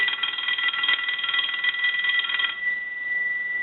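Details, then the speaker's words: Stromberg Carlson 2-1553 rotary wall telephone under repair, bell adjusted toward maximum sensitivity, ring cycle from an analyzer on the low setting: rapid even bell clatter about four strikes a second for 2.5 seconds, ringer works properly. "so what we want to do is start a ring cycle on the low side with the analyzer"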